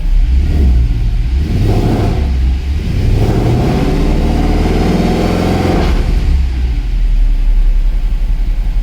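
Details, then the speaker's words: Mercedes W204 C63 AMG, M156 V8, right after replacing the spark plugs; revs climb and fall cleanly with no stumble or popping, sounds and smells good, running correctly, normal revving. "Okay, sounds good, smells good. Looks like everything is running correctly."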